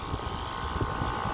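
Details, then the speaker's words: Upstairs outdoor AC unit running with a steady heavy low rumble and faint thumping pulse, louder than the other units. It took about four tries to start, clicking off after a second, and owner fears damage or premature failure. "um if you hear it now in the video it's quieted down some but it's still louder than the other units I'm concerned that this AC unit is got problems and maybe getting more and more damaged and need some attention"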